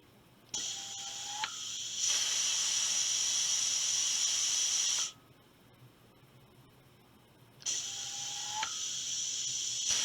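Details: Air rifle booster pump filling from a source tank, with about 2,500 psi presently, driven by a drive tank regulated to 125 psi. Each actuator press gives a long hissing stroke opening with a short rising chirp or tink, with quiet gaps between strokes; normal pump cycling.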